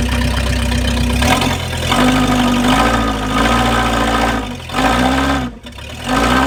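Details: 1953 Packard straight-eight, cold start after sitting, pulls itself out of a deep hole. Catches, settles into steady even idle, then pulls smoothly under load; clean, no knocks or misses.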